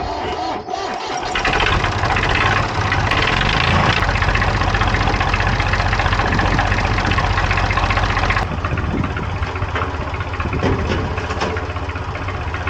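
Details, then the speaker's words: Abandoned 1990 JCB 2CX diesel, after a coolant leak repair so it now holds coolant: steady, even idle clatter with no stumbling or hunting. Worked for over an hour, it drew no air and did not break down; repair successful. "Worked it for at least an hour and we had no problems. It wasn't drawing any air in. It wasn't breaking down. It's a success."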